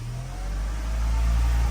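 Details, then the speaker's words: Tata CNG car, after injector replacement: engine lifts slightly under throttle, then holds a flat low hum stuck around 1800 rpm; counterfeit Lucas coils shorted into the ECU; fix was 4 coils, 4 plugs, new ECU and corrected engine timing marks. "ติดเครื่องแล้วรถเร่งไม่ขึ้นก็จะประมาณนี้เเหยียบคันเร่งแล้วรถอยู่รอบประมาณอยู่ประมาณ1,800"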